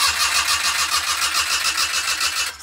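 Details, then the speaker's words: Daihatsu engine in the midget car, after new wiring: starter spins briskly with even chug about seven beats a second but never fires, RPM not read; crank no start, no magnetic crank angle sensor signal. "all right so what's not happening is this which is the crank angle sensor is not getting its signal as this thing turns around it's actually magnetic"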